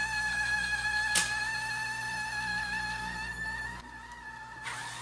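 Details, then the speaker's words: GEVI ice maker squealing steadily at one pitch over a quiet motor hum as the auger turns; main cooling section frozen over with ice, owner first suspected faulty temperature control, earlier suspected water pump; cause unconfirmed. "as I said before my my thought process here is that originally I thought it was not controlling its own temperature and this is completely frozen over and it's and it's making that squea"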